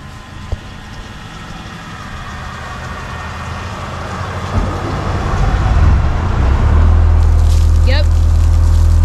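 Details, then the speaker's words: Ford Lehman marine diesel on a sailboat, started after replacing wet sleeve O-rings for a coolant leak, held above idle: deep steady drone settling into an even rumble with water splashing at the exhaust; running normally. "Fire's right up though. I got it above the idle still. Alright, so as you can hear, the engine's running."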